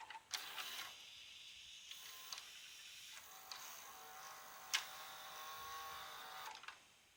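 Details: Panasonic NV-HS950EC VCR with a tape that won't start or eject. A small motor whirs in uneven spurts with sharp clicks, then stops after about six seconds, a tape loading mechanism fault later traced to a hard-to-find broken part.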